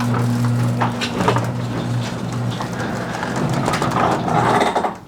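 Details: Garage door after fitting nylon rollers and sleeves on all 10 roller stems: door travels with a steady low opener hum and only faint, muffled roller rattles; smooth, quiet operation.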